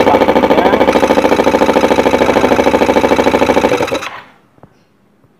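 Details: Yamaha Xeon carbureted single-cylinder scooter, previously very hard to start, after replacing the carburetor vacuum diaphragm: steady even pulsing beat with no misses, then clean shutoff; normal running.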